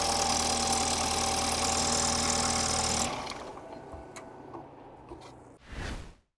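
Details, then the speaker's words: BMW N20 (F30 328i/F10 528i) first start after Valvetronic eccentric shaft actuator replacement: catches and idles evenly with a throttle blip, no misfire and no fuel leaks; smoke from debris burning on the exhaust manifold. "so great news it started and it runs and there's no fuel leaks"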